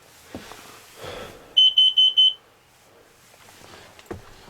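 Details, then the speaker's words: RV motorhome carbon monoxide detector, installed 2013, sounds for the first time, four quick shrill beeps, after engine ran a while; owner suspects exhaust fumes from leaking exhaust gaskets he still needs to fix. "i'm just working on my lights here and i hear start hearing an alarm going off this is the first time i've seen heard this happen"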